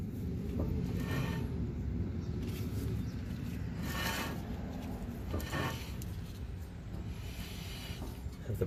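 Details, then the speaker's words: Nissan Xterra, wheel off, brakes applied: piston extends then retracts and caliper doesn't hold pads snug, giving loose dry rattling bursts about every second; brake rattle, possibly a bad master cylinder suspected. "So, it applies the brakes. The piston comes out, [Music] but it doesn't hold anything. So, it looks like it retracts back. And this is the rattle."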